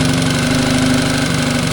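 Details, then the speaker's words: Mercury 9.9 four-stroke outboard that sat two years, run with Seafoam in the fuel to clean the carburetor, after turning in the idle screw: a steady, even idle with no hunting or misses. "Okay, I adjusted the idle on it. I turned that screw right there. I turned it in. And you can hear it. It's idling."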